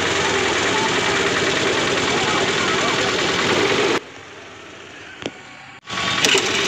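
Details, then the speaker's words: Honda scooter (Activa/Grazia) after self-start problem fix by lifting the pickup coil slightly toward the magnet: engine catches at once on the starter and settles to an even idle; normal start and idle. "तो चलिए दोस्तों हमने pickup coil को करीब कर लिया है अब स्कूटी को स्टार्ट करके देखते हैं"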